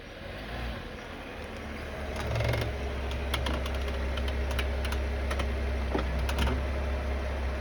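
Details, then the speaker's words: Cadillac CTS rolling with irregular light creaks and ticks at the front over a low rumble; heard only once the car is warm after about a 5-minute drive, not on the first cold morning start; cause unknown. "Ça semble faire ça une fois que le véhicule est comme chaud. La première fois que je le prends le matin, quand je démarre, puis je sors de la cour ou je rentre dans la cour, je semble ne pas entendre ça."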